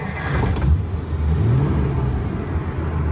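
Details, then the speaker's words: 1950 Pontiac Chieftain, 249 cu in L-head Silver Streak straight-8, after long storage, pulling away on test drive; low, even rumble, no knocks or rattles, gauges good: normal running. "the car seems to be running great it's driving straight engine sounds good everything on the gauges looks good"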